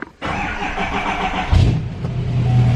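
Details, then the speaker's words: GM Duramax L5P diesel pickup with intermittent turbo actuator fault, new actuator won't relearn: starter drags the engine over slowly and unevenly, labouring before catching, from weak batteries; jumper cables found; dead batteries suspected of causing the codes and non-working fuel gauge. "can hear how weak the batteries are."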